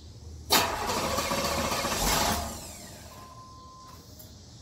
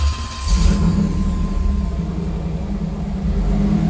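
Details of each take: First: 1992 Chevrolet Camaro Z28 with intermittent hard start, stalling and rough idle: two cranking bursts of a couple of seconds each, engine never catches; hard start, cause not yet found. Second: 1992 Chevrolet Camaro Z28 V8 with a history of intermittent hard starting, stalling and sputtering, after a new fuel filter, ignition control module and oil pressure sender: it catches and settles into a steady, even, smooth idle with no misses. It sounds healthy, but the fix isn't confirmed because the fault is intermittent.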